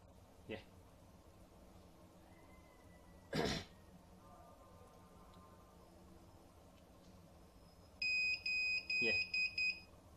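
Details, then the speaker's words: Scout DVR that won't display or record, powered on its adapter: quiet room then a run of about six sharp high beeps repeating every 1 to 3 seconds; continuous beeping, attributed to the undersized power adapter not supplying enough current. "और मैं आपको दिखाऊं तो ये देख रहे हैं आप, सुन सकते हैं हर थोड़ी देर के बाद ये बीप कर रहा है। अभी देखिएगा, फिर भी आवाज़ आएगी बीप की।"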